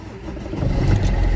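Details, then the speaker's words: Car with flat battery, jump-started with a portable battery booster on the battery: engine catches right away and settles into a rising, even low rumble with no misses; clean healthy start. "j'ai mon booster branché sur la batterie je tourne la clé là c'est autre chose il ya un autre bruit et je démarre"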